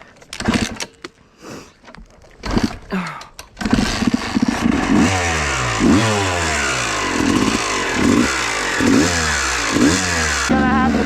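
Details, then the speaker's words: 250 two-stroke dirt bike in the woods: after stumbling starts, revs with an uneven, surging rasp about three pulses a second; abnormal engine noise, cause unknown. "holy [ __ ] did you guys hear that that was not normal"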